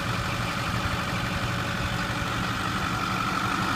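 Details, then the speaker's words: 2008 Ford F250 6.4 Powerstroke diesel, about 81,000 miles, after fitting new rocker arms worn by fuel-contaminated oil: steady, smooth low idle with no popping through the intake; engine running healthy after repair. "So, let me go ahead and start this one up and show you now that the noise is gone. There we go with the uh new rocker arms on. No more popping to the"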